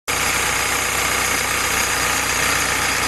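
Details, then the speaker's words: Willys CJ2A L-head 134 flathead engine on test stand with T90 transmission, Dana 18 transfer case and overdrive, break-in oil, Joe's Motor Pool carburetor, warming up: steady even idle, no knocks or misses; healthy running. "hey everybody we're running Hal's engine today this is his L head 290 Dana 18. and Overdrive we're just starting to come up to temperature"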